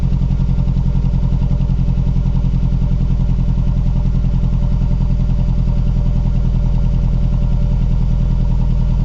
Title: Cold start, rough idle (looks like misfire) - Mazdaspeed3 / MPS